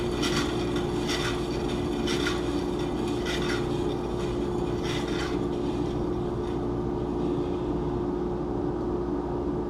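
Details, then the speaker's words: Bandsaw with a new 3/8" blade, bent at the brazed weld joint and not fully straightened, cutting wood while the fence drift is set: a steady saw drone with a light tick about once a second, once per blade turn. "I like this new blade, but when it came in the mail, it was a little bent right where they braze it together, and I tried to straighten it, but it's not perfectly straight, so you can hear it come through every time."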